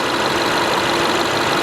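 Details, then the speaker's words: 2010 BMW 550i Gran Turismo AWD, salvage car, warm V8 idling with the hood open: even idle with fast, light direct-injection ticking on top, no knock or miss; normal idle. "Other than the direct injection, it purrs like a kitten, Nick."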